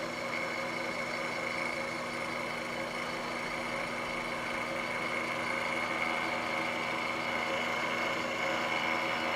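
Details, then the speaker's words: Milling half-inch aluminum held in a vise, sticking out a few inches, squaring a vacuum test fixture: steady cutting noise with a thin high-pitched ring that comes and goes, mild chatter from workpiece vibration; finish still good. "it's amazing that uh there's even a little bit of vibration in this guy uh considering it's thick fairly thick material but uh even half inch aluminum is not stiff enough when it's sticking out a few inches to completely prevent vibration you could hear it"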